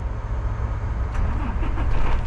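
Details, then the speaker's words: Crete Carrier truck diesel auto-started by Opti-Idle climate control in about 108°F heat, heard from the cab: deep, steady, even rumble, engine running normally. "if I turn this fan on it'll start it because it knows that I wanna it'll start the truck because it knows I want to cool down in here so watch let's do that real quick and then you'll hear the truck make a beeping noise"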